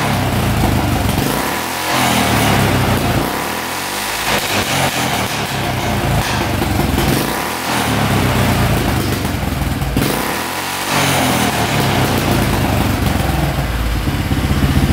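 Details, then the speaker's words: 1995 Polaris Magnum 425 4x4 ATV that had sat for years: single-cylinder revs surge and sag, bogging badly on throttle; worn cam lobes or tight intake valves are suspected, it sounds fuel-starved, and it improves when the airbox is pressed. "So it's really, really boggy. Not sure what's going on. It definitely could be the cam lobes are worn or the intake valves are tight. It almost sounds like it's not getting enough fuel."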